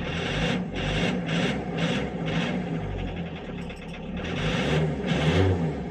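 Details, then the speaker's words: Renault Kangoo 1.9 diesel (D55) started cold with glow-plug light on and smoke: uneven clatter with a lumpy pulse about every half second, stumbling and hunting; hard start, suspected sticking injectors. "kangu kangu diesel D 55 donc en fait c'est le fameux 1,9 diesel donc du coup il a du mal à démarrer"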